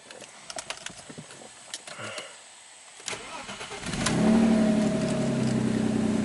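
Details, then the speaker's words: 2001 Audi A4 Quattro 2.8L V6, cold start: cranks and catches, then a raspy puffing idle from a blown exhaust flex pipe, a leak upstream of the oxygen sensors, before welding in a new flex pipe. "so I said you know that um flex pipe is also blown I mean I'll start up you'll you'll hear it"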